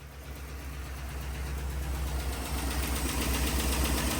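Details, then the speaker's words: Friend's truck on a newly swapped 6L V8 replacing a rod-knocking engine, first start: a low rumble that settles into a smooth steady idle with no knock, sounding like a normal 6L. "I know. I was waiting for like exhaust, like boom, boom, boom, boom, boom, boom, boom. It sounds like a normal 6L."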